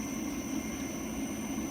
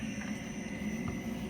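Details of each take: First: Filter cart pump started at low speed (range 0–15 gpm): a steady rushing hiss with a faint high whistle, which is pump cavitation. The fix is to turn the speed up until the noise stops. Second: Oil filter cart pump started at zero speed and slowly turned up until the cavitation noise stops, running between 0 and 15 gallons per minute: a steady low hum with no rattles or surging. It runs smoothly.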